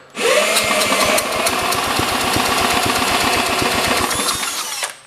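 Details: 1960s–70s John Deere push mower, plug condition uncertain: quick, fairly regular puffs and clicks while pulled over, a brief attempt at firing with a little smoke, then it dies without starting.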